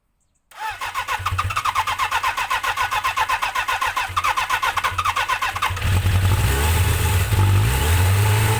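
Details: Suzuki GSX-R 750 "slabbie" motorcycle after repair work, float bowls drained, fresh super unleaded with Silkolene Pro Boost, rear brake fixed: cranks about five seconds, catches cleanly and settles into a steady, smooth idle with a little throttle.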